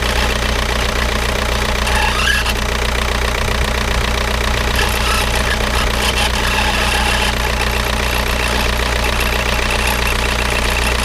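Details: Škoda Octavia 1.9 TDI 81 kW diesel idling with an uneven knocking clatter over the rumble, about two or three beats a second; possible damage, source unclear.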